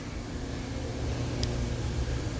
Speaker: And you do that by turning this lever in line with the pipe. And you should hear the compressed air start to flow.